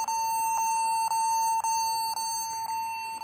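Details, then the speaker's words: Acer laptop beeping continuously, about twice a second, while booting and at Windows; pressing a certain key stops the beep, so a keyboard key is suspected of registering as constantly held down. "Kalau pas dipencet eh tombol ini bip-nya berhenti dan dia jalan. Eh. Mungkin juga ya pengaruh dari keyboard ini ada yang mencet terus gitu kan"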